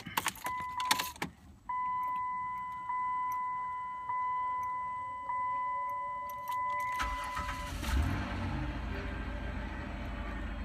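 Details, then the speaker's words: First start of a front-wheel-drive 6-cylinder 4th-gen Chrysler/Dodge minivan after replacing the spark plugs and wires: keys and door chime, a brief crank, then a clean catch into a smooth, steady, healthy idle. "Sweet. The van still sounds like it should. Now, for just to be sure, let's rev it up a little bit."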